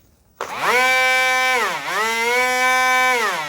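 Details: XK F959S 3-channel RC glider, rear pusher prop on 7.4V 300mAh 2S lipo, new out of box, bench throttle test: clean whining tone climbs smoothly, dips briefly, rises again and holds steady; motor and prop healthy.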